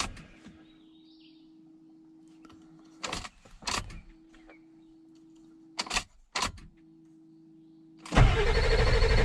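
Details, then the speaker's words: 2000 Ford F450 diesel dump truck, non-runner: fuel pump cycling hum, then short cranking bursts that never catch; lots of air found in the fuel bowl after high pressure oil was restored. "So I chased problems after problems, but once I got high pressure oil, I was noticing I was getting a lot of air in the fuel bowl."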